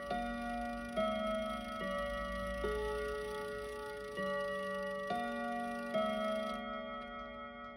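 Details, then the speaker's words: Westminster chime mantle clock, long unused and recently dropped, after lubricating its plates: slow chime notes ring out in the wrong order. The hammer collectors need altering to fix the scrambled sequence. "ready after three all right now it's but not necessarily in the right order but we'll call it progress for now"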